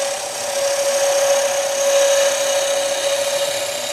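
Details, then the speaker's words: Skew chisel taking a light finishing cut along a leg taper on the lathe after the cut is started: steady, even hiss of a shaving, no chatter or catches; lighter than the high-pitched sound of a deeper cut forcing the bevel. "But if I just get the cut started and then I want it to just be a light cut all the way down."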